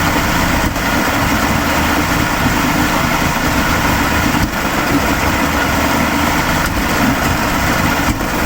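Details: 1987 Mercury 70 hp two-stroke outboard with VRO runs unevenly with occasional stumbles: misfire and smoky running. Stator, power pack, trigger, coils, plugs and filter were replaced and carbs/fuel pump rebuilt; top two plugs oily, bottom plug black and dry.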